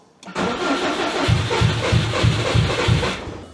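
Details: 2002 Subaru WRX with a built 2.6L stroker (2.5L block, 2.0L heads) and JDM 6-speed, sat four years with fuel in the tank. The check engine light is flashing and the injectors were tapped. Long steady starter chug never fires; a blown injector seal is found afterward. Extended cranking, no start.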